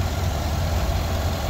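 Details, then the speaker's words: 2021 Chevy Suburban 5.3L V8 after repair of a cylinder 2 misfire (P0300, P050D) with cylinder deactivation not cutting fuel: smooth steady idle, all cylinders working, zero misfire counts, no check engine light. "ronroneando está estable ya está trabajando todos los cilindros bueno el número dos pues el que tenía problemas verdad Pero ya está trabajando ya reparamos el problema"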